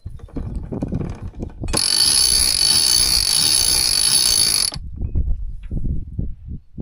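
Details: Boat winch after about a quarter can of CRC and other lubricants was pumped in: crisp, loose ratchet clicks at a few per second as the drum turns. The pawls engage freely, as a healthy winch should.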